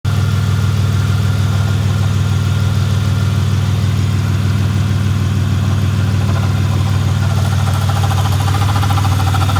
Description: I have a 2009 Chevy impala and it makes this noise and I’m not sure what it is